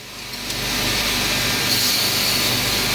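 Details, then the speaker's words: Core drill cross-drilling stone in a half-pipe jig: a steady high gritty hiss of the bit cutting, then a thin whine as the tone changes when the end core piece breaks loose, signalling the cut is through. "You can hear the tone difference in this one when that one piece came loose."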